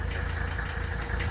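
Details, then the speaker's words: 1983 Mercedes 300TD W123 with OM617 diesel, just after a valve adjustment, not yet warm and smoking: steady idle with a hard, rhythmic clack at firing rhythm. Clacking at idle; owner suspects an injector needing rebuild or replacement. "you hear that clacking I believe that's an injector in need of replacement so I think the injectors need to be rebuilt or replaced"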